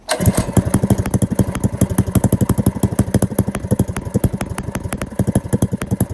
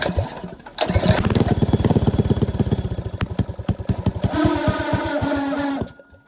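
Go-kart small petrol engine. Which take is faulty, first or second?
second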